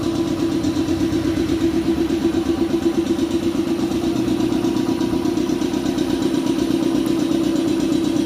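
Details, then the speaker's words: Shark 1 HP two-cylinder belt-driven air compressor (LVPM-6501, 550 rpm, 83 L tank, 7 bar) filling the tank after air was bled off: even, steady thrumming pump beat, no knocks or squeals; fairly smooth and quiet, normal running. "ya beginilah suaranya jadi dia kalau kita bekerja tidak terlalu terganggu suaranya karena ini lumayan halus ya dengan kapasitas satu HP"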